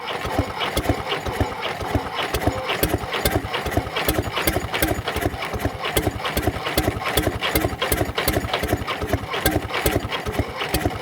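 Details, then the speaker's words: Previously seized Fordson Major diesel tractor wreck from far west NSW on a temporary crank start; fast even chuffing under heavy clatter, cranking without firing, cause unconfirmed; owner expects oil spitting and hopes rings free with heat. "there's my uh temporary crank start just to try and get it turning over when it was seized and we'll see here we go okay"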